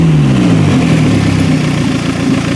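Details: Toyota Camry wagon (1991-1996) engine running on a homemade standalone wiring harness. Revs drop smoothly from a raised speed and settle into a steady, even idle with no knocks: healthy engine.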